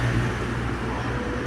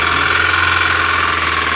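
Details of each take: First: Mahindra Scorpio diesel after fixing a seized, loose number-one connecting-rod bearing (tak-tak knock) without engine teardown: smooth even idle, steady low drone, no tapping or knock; normal idle. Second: Mahindra Scorpio diesel idling with a hard, quick tak-tak knock about four times a second; on opening it up, the number one connecting rod bearing was found seized with heavy play. Rod knock.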